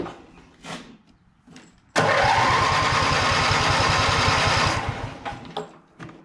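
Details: Simplicity tractor fitted with a cheap Chinese replacement carburetor: the engine catches and settles into a fast, even patter. Idle sits noticeably higher than it should; the cause is suspected, not confirmed.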